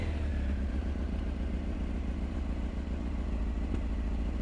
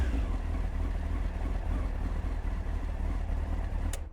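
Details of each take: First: Honda CBR900 Fireblade SC33, now running on all four cylinders after fixing a dead number three cylinder: steady four-cylinder burble with slight pops and a little bang from the tailpipe, from unbalanced carburettors that still need balancing. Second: Honda CBR900 Fireblade SC33 after carb balancing, reassembled with airbox and tank refitted: deep, even exhaust note running cleanly on all four cylinders with no popping or banging; normal running.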